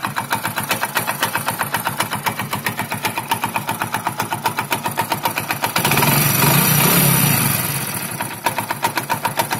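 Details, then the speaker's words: Hero Splendor Plus single-cylinder motorcycle, bought 2018, serviced outside the dealer: sharp, regular ticking about four per second at idle, swelling with a throttle blip; owner says the sound is abnormal, from inside the engine, which needed work within the first years. "कि वह normal आवाज नहीं है कुछ different है जैसे कि engine के अंदर से कुछ अजीब सी आवाज आ रही है"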